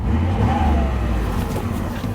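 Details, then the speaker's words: 2006 Chevy Impala SS with LS4 V8, battery light on, leaking valve cover gaskets; a faint wavering whine over the steady engine hum from the power steering pump, possibly low fluid; fluid level to be checked. "and the the power steering just sounds really really bad let's check the power steering fluid level"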